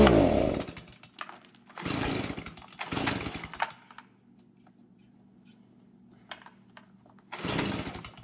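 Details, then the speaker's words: Stihl BG56C leaf blower that wouldn't start, after fitting a $25 aftermarket carburetor, on stabilized chainsaw mix, started with choke and primer. It settles to a quiet idle between sharp throttle blips and revs cleanly without stumbling; the carb fixed it. "So that's our Stihl BG56C leaf blower video, and we put that Chinese carburetor that we got off Amazon for $25 on there, and that took care of the problem."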